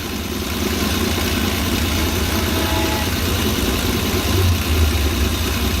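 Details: Petrol engine idling with an uneven, lumpy beat during injector-disconnect checks; one cylinder dead, disconnecting its injector brings no change in running.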